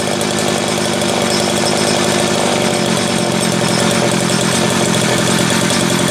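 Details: Homelite 330 two-stroke chainsaw after intake boot replacement, the only fault found: high, fast buzzing run held steady and crisp with no stumbling or surging; oil output just starting; running normally.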